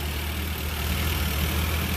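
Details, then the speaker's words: 1975 VW Scirocco engine revived after 34 years in storage, idling smoothly and evenly around 800 rpm while warming up, waiting for the fan to come on, after idle jet cleaning; three vacuum leaks and a drippy accelerator pump were found; normal idle. "I can hear another one but she's idling idling about 800 pretty good another warm up here a little bit see if the fan comes on"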